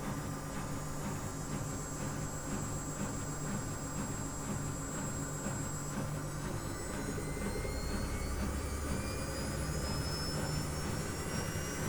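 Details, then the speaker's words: Miele washing machine in full-speed spin during drum cleaning: smooth, even spin roar with rising motor whine and pump sound; no bearing rumble or grinding, machine is new. "on entend mieux la pompe qui qui gère mieux il y a aucun bruit de roulement à rien du tout elle est neuve"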